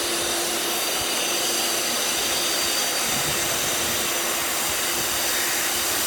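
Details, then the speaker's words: Pool filter pump with Jandy cartridge filter, switched back on in service mode after filter cleaning: steady even water rush over constant motor hum, no knocks or squeals; normal running. "you could either put it on auto on service the filter pump and you're gonna hear it like this about clicking water"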